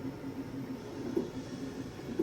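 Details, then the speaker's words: Anycubic Kobra S1 CoreXY 3D printer while printing: short repeated low humming motor tones over a quiet hiss as the head moves; the extruder and motors are loud, unlike the much quieter Creality K2 Plus. "The extruder is really loud and the motors are quite loud, which is not the case with K2 Plus."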